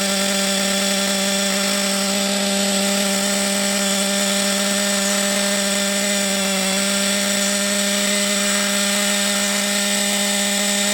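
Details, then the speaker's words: Thunder Tiger EB4 S2 Pro nitro RC buggy engine, hot, with reasonable compression; a steady, high-pitched buzzing scream holding even revs with no stumbles or cutouts, running clean despite a possibly low nitro supply. "Jesus might not have a good supply of um Nitro it sounded good though that sounded good didn't it that run"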